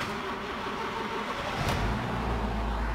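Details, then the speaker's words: 2008 Honda Fit 1.5 after a fuel filter replacement, fully reassembled and started: the engine catches after a short crank and settles into a steady low idle with no stumble, fuel gauge reading; normal start and idle. "de bola pegando tudo certinho galera combustível marcando"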